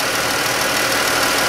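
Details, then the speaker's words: 2013-type Chrysler 3.6 Pentastar V6 at idle before repair, valve cover off, heard through a mechanic's stethoscope on one side: fast, light ticking over the idle hiss. "it's not doing it too loud yet but i'm just gonna listen around here i think it's coming from this side here"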